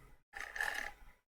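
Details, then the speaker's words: Karcher WV50 window vacuum, 5.5 V 600 mA power supply, flashing red light: brief strained motor buzz under a second that dies out; motor jammed because the rubber mount holding it had come loose, fixed by realigning and oiling. "as soon as i'm pressing it i can hear the motor trying to spin but it's just not continuing it's got his flashing red light now"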